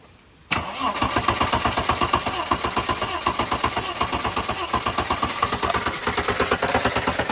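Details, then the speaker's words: 1990 Mercedes-Benz 300E, reportedly a non-starter, cold start at purchase inspection: brief crank, then catches first try and settles into a steady, even idle with no misses or knocks; healthy start. "okay that's good all right okay Co boys it just started up first try so it's a buy"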